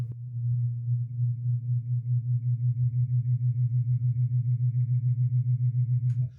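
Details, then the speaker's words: Lasko Wind Tunnel fan that is slow to start: loud low electric hum with a steady pulsing throb about three beats a second from the struggling motor. Owner plans to try lubricating it with 3-in-1 oil; cause suspected, not confirmed. "it is slow to get going and it's making a sound. So definitely something a little bit wonky going on with it."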